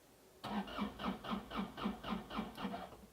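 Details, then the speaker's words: Starter on a Daewoo Solar 035 3.5-tonne excavator, tested by running 12 V straight from the battery, cranks crisply at about four beats a second; starter works and the cable is fine, original fault not yet found. "starter works and the cable is as it should"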